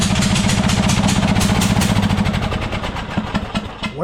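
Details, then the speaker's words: Murray 42-inch riding mower, 18.5hp Briggs & Stratton PowerBuilt OHV, new RC12YC plug fitted, started with choke: lumpy stumbling idle with irregular beats that fade and falter, struggling to stay lit; owner believes it's flooding, not confirmed. "it is running very, very poorly. It's almost like the choke is stuck, but it's not."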